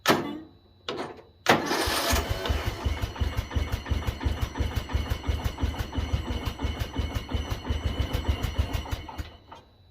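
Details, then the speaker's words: 2005 Poulan Pro riding mower, 17.5 Briggs and Stratton, cold garage, on choke: a few loud coughs then uneven chugging about three beats a second that fades; likely flooded while fuel ran in, won't settle; coil adjustment next. "hey it tried I think we flooded it whenever it was letting the fuel run in oh I lit up a little bit"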